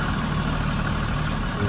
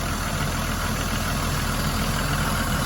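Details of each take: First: 1991 Toyota Supra Turbo MK3 7M-GTE idling with a low, uneven rumble and steady high hiss from a disconnected vacuum hose meant for the blow-off valve/accordion pipe. Idle recovers once the leak is found. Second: 1991 Toyota Supra Turbo MK3 7M-GTE after finding the vacuum leak: steady, even idle with a low rumble and no hunting or surging, idle restored.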